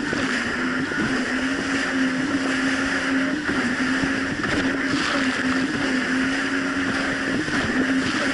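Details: 2007 Yamaha VX Cruiser jet ski on choppy Lake Michigan: steady drone holding even pitch under wind and water splash, no rise-and-fall hunting; smooth, no surging.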